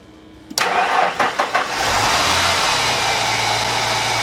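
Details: 1990 Ford Thunderbird Super Coupe that sat in a barn about four years and would not crank, after battery cables were retightened: short crank, catches at once and settles into a steady, even idle; starts and runs normally.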